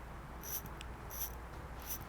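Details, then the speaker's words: Gold-plated Rolex watch: three thin, high squeaks about every 0.7 seconds as it moves, a dry mechanism needing oil, cleaning and service. "you hear that Qui Qui that's squeaky and needs oil it needs to be clean and needs to be serviced"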